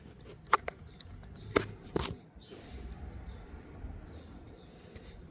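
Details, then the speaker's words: 2007 Kia Sorento 2.5 CRDi turbo diesel, engine off, lacking low-rpm boost: dry separate clicks as the turbo shaft is pushed in and out; excessive axial play from worn bearings, oil seals leaking. "now in and out means bearings and stuff are going up and down some movement is fine let in and out if it comes in and out like this it then it's showing signs of wear"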